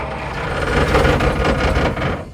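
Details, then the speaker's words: Abandoned 1947 Dodge ex-grain truck, after fuel poured into the carburetor: catches and roars about a second and a half, then dies once it burns off; fuel not reaching the carburetor, owner suspects a fuel shut-off. "It's running. No way. This is awesome. We got to get fuel up there, though. Fuel is going to be our problem."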